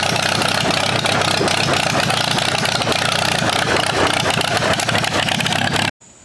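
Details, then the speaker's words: 1947 Allis-Chalmers B tractor, sat eight years, after new spark plugs: loud, ragged, uneven running with no steady rhythm; still misfiring, owner suspects fuel starvation at the carburettor. "so I believe the tractor is running a little bit better but we're still having that general issue now what I've been doing with this carburetor is I've been suspecting that the engine has been starved of fuel"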